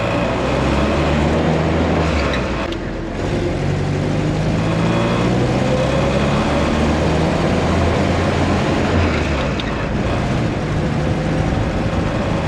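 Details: Willys CJ-2A with its T-90 transmission rebuilt using the cheapest eBay parts, cruising near 40 mph on the road test: steady drone with no gear whine or clunks, pulling cleanly; transmission working normally.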